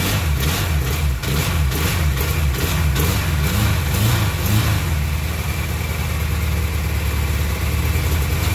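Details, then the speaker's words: 1995 Kawasaki KZ1000P ex-police bike, 72k miles, first start after sitting 3 years with fuel in the oil: uneven, lumpy idle with wandering revs, all four cylinders firing and pipes getting hot; carbs to be cleaned. "all right well that's good news looks like she runs I felt all the exhaust pipes they're all getting nice and hot and of course it runs rough but I know I'm getting spark and running all four cylinders"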